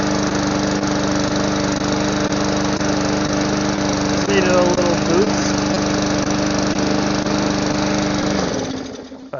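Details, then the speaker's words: Lawn mower that sat a while, primed, carb cleaner sprayed into intake: catches and runs steady about eight seconds, then fades and quits once the spray burns off; carburetor suspected clogged, to be disassembled. "I stop it and start it. So we'll go ahead, pull the carburetor apart, and we'll see what's clogged."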